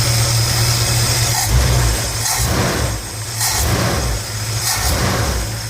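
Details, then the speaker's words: Chevrolet 454 V8, carbureted, idling after fixing blocked air filter (had caused surging idle) and stopping air leaking into tank-to-carburetor fuel line; deep steady smooth rumble, no misses or knocks; normal idle. "so start the car up now okay she's running fantastically listen to this"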